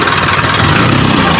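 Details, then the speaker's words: Isuzu 4HL1 diesel, formerly hard starting with a long crank and rough, cutting-out running, after replacing a dirty part and cleaning the crank sensor. Idles with a steady, even clatter and no misses, stumbles or surging; it is now running smoothly. "Okay start daw Okay isa pa isa pa Ayan Parang okay na"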